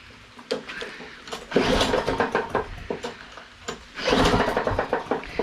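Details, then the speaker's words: Cub Cadet with Briggs flathead, carbon buildup had lifted head and blown head gasket; after repair, cranking bursts with even firm chuffing each compression stroke, compression sounds restored. "well hello before i start wasting wellness so i want to make sure that we've restored the compression"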